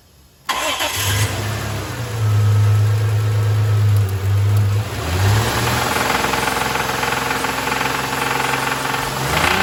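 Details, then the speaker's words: 2001 Isuzu Rodeo after an engine fire: it starts, revs and settles into a rough idle with a tinny rattle and light knocking that follow engine speed; rattle in the muffler, knock suspected tensioner rather than rod knock; unconfirmed. "it has a rattle in the muffler somewhere and it's knocking but it does not sound to me like a rod knock it sounds to me like tensioner"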